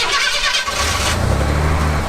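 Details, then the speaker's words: 1990 Ford F-150 XLT Lariat, straight six, just bought: short crank, fires at once and drops into a smooth steady idle with no knocks or misses; sounds healthy, though oil pressure gauge reads none, possibly a dead gauge. "Sounds healthy. Sounds like a charm. Yeah, sounds healthy."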